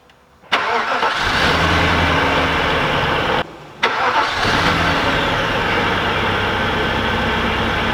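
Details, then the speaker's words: Audi S8 4.2 V8 (340 hp), after a crank-no-start from a shorted, blown fuse was repaired: the engine catches, dies and restarts, then runs lumpy and uneven with one cylinder missing. "So right now the car has one cylinder missing while the engine is running."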